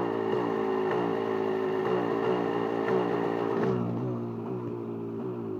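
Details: KTM 250 SX two-stroke at hot idle: uneven, with sharp clattery ticks over the buzz, then settles lower. It happens only when hot and is sometimes heard while riding. Owner suspects the power valve. Abnormal idle noise, cause unknown.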